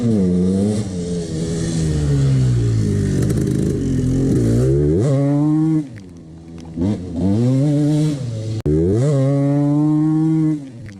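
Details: 1989 CR250 two-stroke revs up and falls back with a rattly, hollow clatter under the buzz; piston slap from the worn top end, which the owner ignored.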